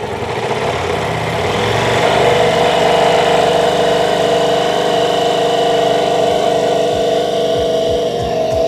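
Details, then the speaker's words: Ducati V4 motorcycle first start after DIY salvage rebuild, possibly burning off old sitting fuel: steady, even idle with no rise in revs; engine runs but the throttle does not respond. "It's burning something or maybe it's just burning off old sitting fuel or whatnot, but it's running. The throttle doesn't work though."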